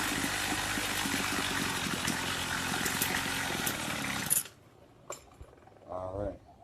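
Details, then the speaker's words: Craftsman two-stroke weed trimmer, after raising the idle: ragged high-rev buzz for a few seconds, then cuts out abruptly; rough running and stalling, suspected lean low-speed mixture. "Sounds like it's not getting enough fuel. So I'm going to turn the low screw up."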